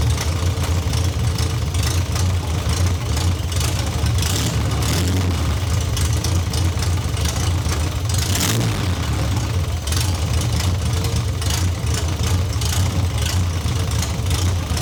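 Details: MGB GT after refitting missing starter motor-to-solenoid post bolt that caused weak connection; engine catches and settles into steady, even idle with deep regular exhaust beat, no misses or clatter; sounds healthy.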